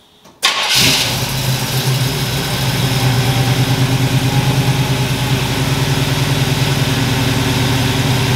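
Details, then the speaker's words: 1977 Chevy Nova small-block V8 after advanced ignition timing: brief crank, then catches cleanly and settles into a steady even low rumble with no misses; normal start and idle. "now i mean you literally just turn the key it fires right up exactly like i had it before"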